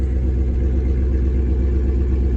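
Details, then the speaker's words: LS1 V8 swapped into a Nissan Patrol, just started and on cold idle: deep steady idle that never dips when the clutch is let out in first or reverse. The clutch is not engaging, so the gearbox must come out. "not to clutch out the whole way in first and nothing so for a second nothing reverse nothing so something's going on with the clutch"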